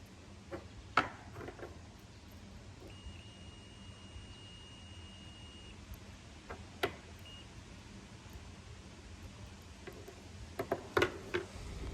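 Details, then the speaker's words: Comfort Cool air conditioner that will not run. The contactor is pulled in with 24 V present, but there is zero voltage going in. Fuse continuity test: a steady beep on one fuse, only a brief chirp on the other. The blown fuse cuts 240 V to the condenser. "should have continuity there so it should beep if the fuse is good but as you saw one of them was beeping so one of them was good the other one was bad so that's how we're not getting our our 240 out to the condenser"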